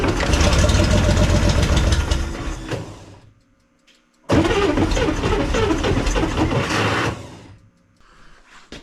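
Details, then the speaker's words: 1965 Corvair stored all winter, two carburetors, repeated start attempts after flooding: long cranking bursts with ragged, uneven firing pops, stopping before it runs on its own; owner suspects a loose starter. "okay well I think she's going to run I'm going to I'm going to quit while I'm ahead and not keep grinding on this starter"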